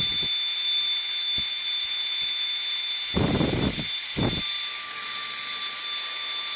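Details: 20mm EDF fan, 3D-printed housing, 0703 brushless outrunner, clipped 3-blade prop, on 2S (2.9 A, 26 g static thrust) at full throttle: thin high-pitched whine holding steady pitch with a couple of brief puffs; spinning evenly.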